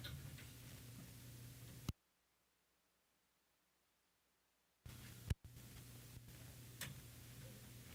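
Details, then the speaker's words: Ham radio station audio (Icom IC-9700/IC-7610 setup) during FT4: low steady hum with sharp crackles and ticks, a sudden dropout to silence, then hum returns; owner suspects a cheap preamp dying or a bad cap, not the cable; unconfirmed. "Sounds like my preamp might be dying, which will be very, very unfortunate."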